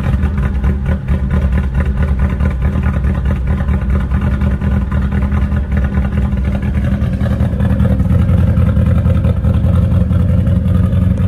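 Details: VW Mk1 Rabbit rebuilt engine after re-torquing bearing caps (cheap torque wrench blamed for not turning): steady, even drone with smooth rhythm throughout, no knocking; bottom end sounds healthy, normal running.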